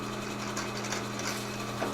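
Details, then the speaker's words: Old Delta drill press (Milwaukee-made) with 3-phase motor run from a 3-phase generator, first power-up after auction purchase: steady low hum, smooth, no knocks or grinding; spinning backwards, needs one lead swapped, otherwise healthy. "All right. Oh yeah, it's turning backwards. I gotta switch one of the leads, but"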